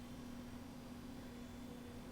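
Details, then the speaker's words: Replacement 40mm, 1cm-thick fan fitted to a Mega ST2, test-powered via red and black wires: soft steady even hum with no rattle, ticking or wobble; very slight breeze, draws 195 mA, should be okay. "The breeze is so slight, it uses 195 milliamps. There you go, should be okay."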